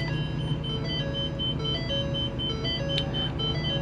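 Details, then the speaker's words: 2021 Sunseeker Classic 3010DS Class C RV, 7.3 engine, 12,178 miles, engine running while parked: a steady high chime repeating about twice a second warns that the parking brake is engaged. "it's now yelling at me about the parking brake is engaged I know I know I'm not going anywhere I promise"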